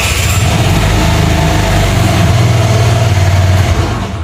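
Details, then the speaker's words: New-body fuel-injected Cappuccino 50 scooter after repair, having been road-tested over two days: steady even single-cylinder beat, smooth rev, no stumble, cut-out or fault light, winds down cleanly; normal running. "güzel bir şekilde gidiyor herhangi bir gaz kesme herhangi bir arıza ışığı yakma durum söz konusu Yok"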